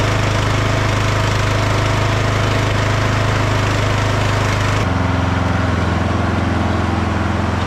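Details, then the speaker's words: Revived free lawn tractor, mower deck removed, on test drive: engine settles into a steady, even low drone, note dipping slightly partway through but running cleanly; it runs and drives well. "All right, guys. Well, it runs good. It drives good."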